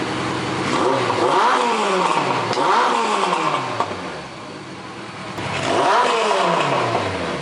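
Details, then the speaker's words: Suzuki GS850, warm, carbs just synchronized and pilot screws adjusted: idles just above 1000 rpm, blips rise smoothly and drop evenly, hardly any lifter noise; normal idle and revs. "idle in just above a [Music] th000 sounds really good I hardly hear any kind of lifter noise or anything out of the eng"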